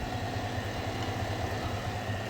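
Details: 2021 Chevrolet Silverado at idle, heard through a screwdriver with a funnel as a probe on the idler pulley: steady throbbing hum with a constant whine; worn idler pulley.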